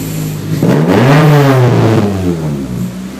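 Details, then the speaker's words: 1999 Acura Integra GSR after repair: the alternator belt squeal was caused by a missing front bolt, now installed. The engine revs and settles with a deep exhaust note and no belt squeal. "once I got in there it doesn't squeal anymore it starts up prove it it's not squealing"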